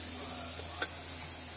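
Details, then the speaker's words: Steady high-pitched hiss of air leaking from a suspension air spring; hiss changes when the bag is pushed, confirmed by bubbles in spray test. "It's right here now. Yeah, you could definitely hear how the hissing is changing by pushing it. It's actually sealing it."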